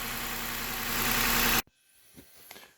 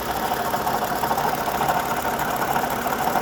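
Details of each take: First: Seven-year-old Lexus RX350 with a rattle, idling with the drive belt removed: even, smooth idle with no rattle before shutdown, so the timing chain is fine. The noise was traced to the water pump. Normal idle. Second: Lexus RX350 V6 idling with a light, fairly steady rattle, most audible at low speed with the window down; loudest at the front engine bracket via screwdriver stethoscope, traced to a worn water pump bearing.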